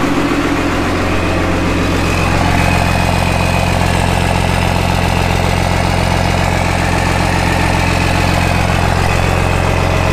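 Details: Cummins diesel-swapped Jeep YJ on its first start-up, with an AirDog fuel pump on switched power: steady, even diesel clatter at a settled idle, about 220 beats a minute, with no misses or knocks. Normal idle.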